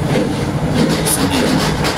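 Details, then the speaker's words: Wansa washing machine: rough continuous rumbling grind only during spin, none during wash; attributed to a gear in the drive, left unrepaired for now since the machine still works. "Muna natin siyang pag totally siguro na sira, saka na natin siya palitan or baklasin. Yung ingay na yan, gear yan eh."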